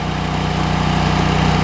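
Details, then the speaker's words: Kohler CH23S engine on a Lincoln welder, after low-idle carburetor circuit fix for sputtering and backfiring after old fuel: even low rumble dropping smoothly from high idle back to low idle without hunting; normal. "As soon as your arc, you pull that arc off the steel, you'll idle back down. And it's supposed to do it smooth, and it's doing it smooth."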